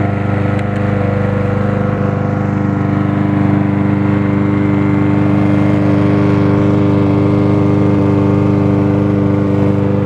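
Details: Snapper 725 EXI mower after float bowl tapped with a screwdriver to free a suspected sticking carburetor float: surging gone, engine holds even steady idle, then shut off; temporary fix, surging returns after hours.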